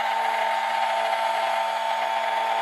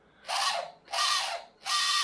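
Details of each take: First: RNLI Severn Class RC lifeboat by Zappies, drive motors on a large 3S LiPo via adapter (owner fears ESCs may overheat): clean electric whine swoops up and down with throttle in smooth arcs; motors spin freely and sound healthy. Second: Small brushed motor in a Zappies RNLI Severn class radio-controlled lifeboat, after lubrication: three short bursts of high, scratchy whirring, each spinning up and dying away unevenly; rattling less, brushes suspected, not confirmed.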